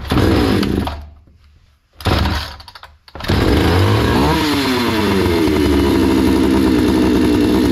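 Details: Hyundai 650 two-stroke chainsaw before repair: fires and dies twice within seconds, then catches and revs unevenly; keeps stalling after start, fuel supply seems insufficient, lean running; no settings were tampered with, filter found unclogged.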